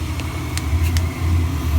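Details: Slant-Fin VSPH-120 gas boiler burner firing; steady low roar with even deep rumble, no popping, surges or whistles, normal operation.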